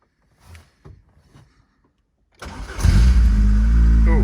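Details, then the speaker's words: MG ZS 1.6 petrol, jump-started after months unused: a quick crank catches at once and settles into a steady, even idle; a normal cold start after long storage. "it sounds good so they're really impressed with that it started straightaway which wasn't wasn't expected seems like she's running"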